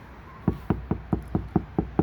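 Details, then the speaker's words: Ford Flex door top section tapped from outside after fitting KnuKonceptz deadener, 4 layers (2 full sheets cut in half and stacked, 400 mil): eight dull, short, low knuckle taps with no tinny ring, a solid, well-deadened door skin. "now you can hear the difference. This is 4 layers, okay? 2 full sheets cut in half, stacked on top of each other."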